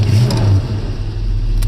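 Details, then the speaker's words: 1979 Chevrolet C10 cold start: deep even burble on high idle, then a pedal tap drops it lower and quieter to low idle cleanly; normal. "now it's low idle I just loved the sound of this old truck it's nothing big and fancy"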